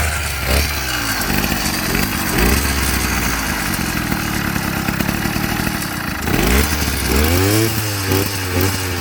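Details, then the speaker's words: Amazon 100cc two-stroke motorized bicycle kit, freshly built, after about 40 start attempts: bursts into revs then sags and surges unevenly, never settling to a steady idle; hard starting and poor idle. "So, we did get it to start and it did not want to idle or start easily. We did like 40 runs on it."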